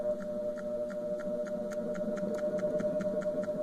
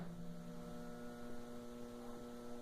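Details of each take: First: Wanke spin dryer that previously only hummed without spinning due to a burnt capacitor, now spinning after touching a replacement capacitor's wires in: steady low motor hum with light regular ticking as the drum turns, running normally. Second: Wank centrifuge (spin dryer) plugged in only hums with no spin-up and stops; the motor capacitor was suspected and is described as burnt, replacing it is the fix; steady low stalled electrical hum.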